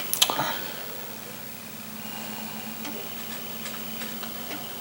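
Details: Apple IIgs floppy drive after repair with a drive unit swapped in from another, feared broken gear: a few sharp clicks, then a quiet steady whir with a faint high hum; motor spins normally.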